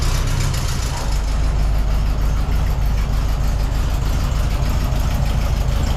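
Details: 1972 VW Beetle on a test drive after a no-start was fixed by adjusting the valves, which had been locked with no clearance: steady, even air-cooled idle with a smooth low thrum and no misses or ticking. Normal idle.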